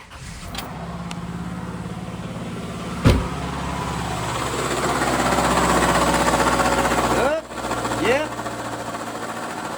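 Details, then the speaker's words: Subaru, engine compartment, cold start: the engine builds to a rising cold idle with one sharp, swishy clunk about three seconds in; the clunk happens only on startup and goes away once warmed up. Owner suspects it comes from inside the gearbox or engine; not confirmed. "So and it only does it on startup and then after it's heated up and warmed up it goes away."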